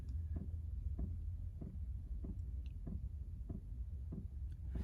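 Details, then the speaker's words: Chinese diesel heater after bleeding air from the fuel line, no error message; steady soft fuel pump ticks about every two-thirds of a second over an even low fan drone, warm air coming out; normal fuel pump ticking. "alright so now see we got the pump going you can probably hear it a little bit haven't gotten an error message yet"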